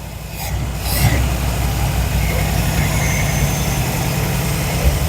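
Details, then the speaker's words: Square body Chevy C10 V8 sitting for years, first start after Marvel Mystery Oil in cylinders, new plugs and new carburetor: catches and settles into steady even idle, smoking but no knock; bottom end sounds healthy. "Well, it runs. Okay, so we know it's running, and it's smoking to be damned."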